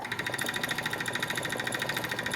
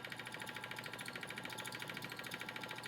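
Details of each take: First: Wood lathe (10" x 18"), turning a wood blank just under 7" diameter x 4" wide: a thin, high squeak pulses about ten times a second over the steady hum. Owner suspects the tailstock or a wheel is squeaking. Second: 10" x 18" wood lathe turning a just-under-7" x 4" blank on a faceplate, remounted and retightened: even steady spin with light regular pulse about three per second from the still-uneven blank; some wobble remains but much improved.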